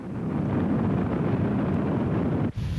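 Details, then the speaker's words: Late-1980s Buick, from a training segment on wind noise: a steady low whooshing rush with no engine rhythm, cut off sharply near the end. This is wind rush, a whoosh from air passing over the vehicle's exterior. "is a whoosh that occurs from air passing over the vehicles exterior"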